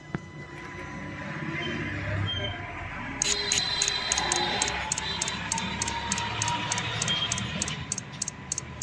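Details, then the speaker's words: Mahindra Scorpio S5 BS6 with DEF pipe and motor replaced after a stone broke them, injector cleaned: crisp regular clicking about three times a second, DEF dosing injector cycling properly as diagnostic tests pass. "अभी पर test successful हो गया अभी य भी successful आ जाएगा थोड़ा time लगता है आने में सक्सेसफुल हो जाएगा"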